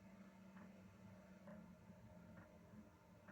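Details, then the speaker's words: Diesel heater nearly down to its lowest setting: quiet low fan hum with a soft pump tick roughly every second, louder on setting six; normal running. "can you hear that to be perfectly honest with you in my opinion that is not noisy obviously it's noisier when you put it on six"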